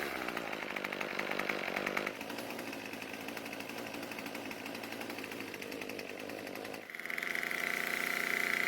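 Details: Craftsman two-stroke string trimmer, idle fuel richened slightly: crisp steady buzz that drops back to a clean idle and revs up again without stumbling; it now starts and runs fine.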